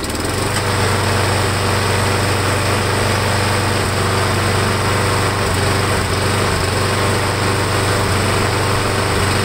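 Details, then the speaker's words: Briggs & Stratton Quantum small single-cylinder engine after fixing a warped air filter base with built-in primer; runs with a steady, busy drone without missing or dying while primer is pushed, fuel getting through, running normally. "Sounds like it's working. So what we're going to do is I'm going to try it again tomorrow morning."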